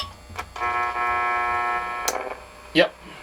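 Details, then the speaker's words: 1947 Chevrolet car radio running open and unshielded on 6 volts: steady high buzzing through the speaker under the audio; owner suspects LED lights cause the buzz. "it's oh that's probably my led lights causing that buzzing"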